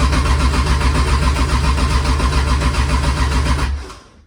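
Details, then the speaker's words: Toyota 2JZ engine, first start attempt with oil and fuel pressure confirmed and coil packs firing: steady starter cranking of about 3.5 beats a second for nearly four seconds, never firing. A noid light shows the ECU isn't triggering the injectors. "you can test if the injectors are firing and they're not firing meaning that the ECU is not turning them to fire so that's what's causing our issues right now"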